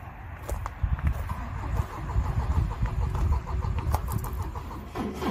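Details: Volvo that won't start in a parking lot after giving trouble that morning: steady rhythmic cranking churns on for several seconds but the engine never catches. Cranks, no start.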